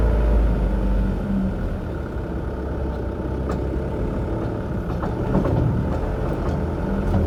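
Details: Mk6 Ford Transit 2.0 diesel FWD, tie-rod ends recently replaced, driving; irregular dull knocks from the front wheel(s) through diesel rumble and road noise.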